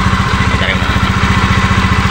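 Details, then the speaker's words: Honda Beat FI v2 scooter, fast even rattling chatter on the idle from the drive side; it was not noisy before, and crank bearing or drive bearing is suspected. "hindi ko alam kung Crank bearing dri bearing sira pero diagnose natin kung ano talaga yung sira nito"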